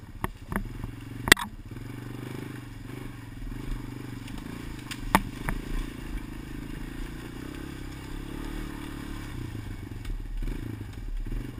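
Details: GoPro Motorsport edition mounted on a helmet while riding: odd sharp clicks at irregular intervals over low wind and engine rumble; source of the clicking unclear, sent for evaluation.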